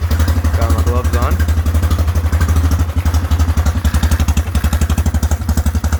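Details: Whizzer small single-cylinder motorbike on a test ride after a new overdrive gear and pulley, clutch broken, shifting up from first: strong steady thump pulling evenly through the gears with wind noise, third gear working best; normal running under load.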